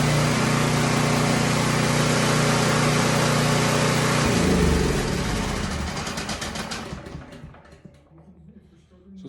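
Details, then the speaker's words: Emergency generator unused three years, started indoors on a lift after service; even steady engine drone with constant low hum, then fades; runs smoothly, noisy and smelly. "noisy and it stinks quite a bit"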